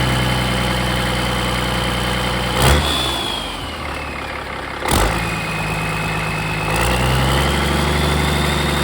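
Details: Rebuilt Caterpillar 3406E haul-truck diesel on the shop floor, restarted the next day; owner still unsure whether an injector puts fuel in the oil: deep, steady idle with an even low beat holding speed after brief bumps; runs smooth, healthy.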